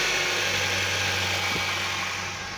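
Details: 2008 Honda CR-V, 163,000 km, that had a no-crank problem with the starter only clicking: now running, with a steady even idle hum, low constant note, no knocks or misses; alternator charging fine.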